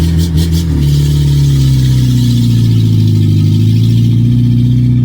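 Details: 1982 VW Rabbit diesel pickup, number three injector leaking: very loud, raw low drone and clatter under throttle with no muffling at all; the exhaust system is missing.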